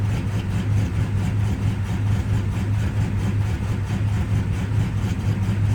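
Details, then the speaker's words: 53-year-old Plymouth Slant Six cold at about 12°F: low, uneven, stumbling idle. The cheap aftermarket choke unit hangs up and keeps the choke stuck closed, so it runs rich. "and what happens is it just keeps the choke closed so that's why i was doing all that blah blah blah blah blah blah stuff"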